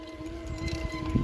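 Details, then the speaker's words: Eleglide M1 Plus electric mountain bike with cable (non-hydraulic) brakes, climbing a steep hill at low speed with motor straining: steady high-pitched whistle over motor whir and trail noise; rider suspects front brakes squealing, still bedding in. "Qu'est-ce que c'est le bruit? C'est les freins avant, je crois. Ouais, c'est les freins avant."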